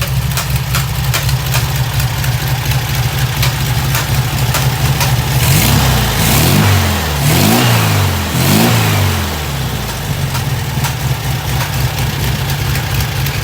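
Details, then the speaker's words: VW 1600 flat-four in a 1972 Super Beetle during initial run-in: even, steady chug with a short rev blip that settles back down. A smooth, healthy idle after adjusting the mixture screw and lowering the idle. "Run it all the way in until you can kill the engine, and then begin to back it out until it kind of gets to that sweet spot, and then you start lowering down your idle"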